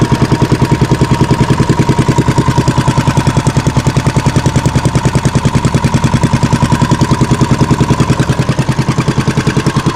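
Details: Fishing boat (bangka) engine after fixing a misfire and securing the shaft: steady even low thumping, no misses or knocks; running smoothly at idle, shaft alignment praised.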